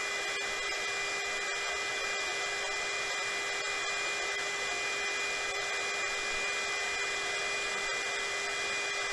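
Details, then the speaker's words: Mini KAIWEETS KEH01 heat gun (450 W max, no smooth adjustment) switched to second speed: steady rushing blow with faint constant whine, stronger airflow like a hair dryer; normal operation on high setting. "и пробуем включить вторую скорость здесь уже посильнее дует Ну как Пен обычно для волос"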